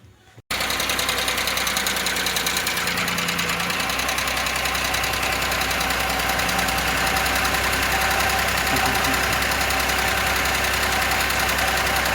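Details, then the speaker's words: Audi A6 previously repaired, restarted after reassembly following loud knocking and condensate found under the cover: fast light ticking about three per second at idle with a new faint whistle; hydraulic lifters slow to pump up, possibly damaged. "Пока стук есть, какой-то свист появился. Сейчас должны компенсаторы очень долго могут прокачиваться, блядь."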